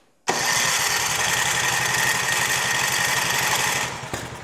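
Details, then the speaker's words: Craftsman 536.881651 snow blower, Briggs & Stratton 12A113 type 0350-E1 built 2005, heavily primed and on choke: catches, then runs with an uneven, stumbling beat before dropping off. Rough running. "Okay, so at this point, it does run. It's not a real happy run, but it does run very well for what it came"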